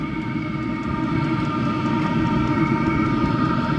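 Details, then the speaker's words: Vevor 5,000 air heater on its first run, muffler not yet fitted: steady loud combustion roar with faint fast pulse; burns normally, only loud because the exhaust is unmuffled, and quieter once the muffler is added. "put the muffler on in a minute see if it makes a [Music] difference"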